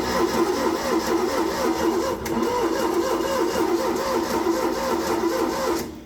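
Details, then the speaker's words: V8 air compressor with points ignition, long-sitting, cylinders grounded, choke partly working: starter spins steadily about four beats a second with no firing; crank no start, no spark, points to be sanded. "And to nobody's surprise, it sounds like it has no spark as is tradition. So, we'll shut that off before we blow our coil up."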